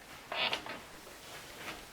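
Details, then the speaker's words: Bed frame: two short, high-pitched metal-on-metal squeaks as the bed moves, the side rails rubbing at their joints; fix is to unscrew them, add double-sided tape or bike inner tube between the metal parts, and refit the screws. "what to do with a squeaking peeping bed can be very irritating"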